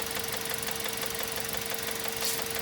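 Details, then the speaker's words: Mazda 3 2.0 engine with rod bearings already replaced: quick regular light clicking knock resembling rod knock, actually from the plastic intake manifold vacuum flaps; checked by pinching the solenoid vacuum hose. "Вот этот звук щелкает. На этой тачке, в самом деле, заменены шатунные вкладыши. Ну, вот сейчас был другой совершенно стук при наборе скорости. Но мы сейчас говорим про тот стук, который тоже очень похож на шатунный вкладыш."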